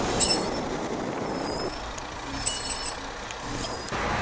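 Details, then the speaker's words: Hyundai Santa Fe DM, some built before 25 June 2011: sharp metallic brake squeals in short bursts while driving without braking, heard with windows open; attributed to pad lining, may fade or need pads, calipers and discs. "싼타페 dm 주 2011년 6월 25일 전에 양천 된 차량 중에 일부가 브레이크에서 쇳소리가 나는 증상이 있습니다 라인이 다른차 같은 경우에는 브레이크를 잡아야 해 소리가 났지만 이 증상은 주행 중 에서도 소리가 난다는 게 특징입니다"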